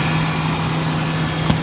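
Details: 1994 Ford Ranger XLT 4x4 junkyard rescue, after oil change with new MAF and temperature sensors: smooth, even low hum with steady note, no knocks or misses, one brief click; sounds same as before. Normal idle.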